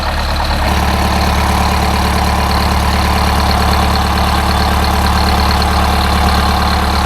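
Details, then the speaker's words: Detroit Diesel 8V-71 generator engine after fitting a new starter: steady, even two-stroke diesel clatter at idle, smooth rhythm with no misses or knocks; healthy idle, starts easily. "uch generator work oh that's exciting boy that sounds good"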